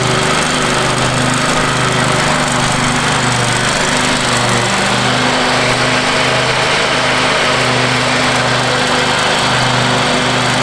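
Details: Free Craftsman riding mower after power wash and fresh fuel, deck lowered, mowing a yard; loud steady drone with blades humming, even speed through the pass, owner says running sweet and smooth; normal running under load.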